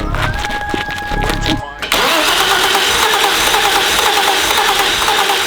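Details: Barn-find BMW E34 5 Series cranking without starting; the starter churns steadily with an uneven hiss and the engine almost fires but never catches; fuel delivery is being checked at the fuel rail and new fuel lines are going on.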